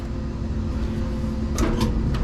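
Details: Electric dryer running empty after heating element replacement, back reassembled; steady low hum with an even, light tumble and no squeal, scrape or knocking; runs normally, heat not yet checked.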